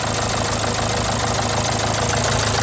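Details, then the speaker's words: Renault Symbol a month after full engine rebuild: rough, buzzy, shaky idle with chattering rattle; failed tensioner bearing let timing belt jump a tooth, causing noisy vibrating running. "gergi bilyası arızası çıktığı için araba semti atlamış diş kaçmış O yüzden gürültülü değişik bir şekilde çalışmış mı değişik bir şekilde titreşimli çalışıyormuş"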